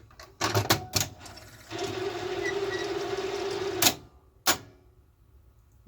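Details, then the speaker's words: Zenith Video Director VR-8500PT Beta VCR loading a tape: a couple of clunks, about two seconds of steady whirring with a faint tone, then a final clack. Noisy tape loading mechanism; owner suspects a bearing needs oiling. "wonderful i think a bearing in there needs to be oiled"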